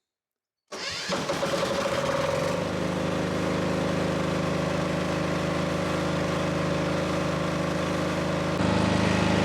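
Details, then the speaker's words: New Hyundai 8000 SELR diesel standby generator, first start, heard from about seven meters away: catches instantly, settles within two seconds into steady even drone, no misses or knocks; loud but normal, producing 230 V 50 Hz. "now i've moved about seven meters away from the machine which is behind me just in the entrance there and as you can hear it's a loud machine it's not quite as loud as i thought it was going to be to be honest but it's still a loud machine"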